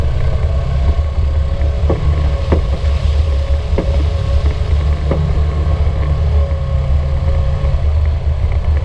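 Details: 2016 Polaris RZR 900 Trail driving with engine drone and loud, irregular knocks about every second from the back right, reproducible by rocking the side frame; owner suspects the sway bar, not confirmed.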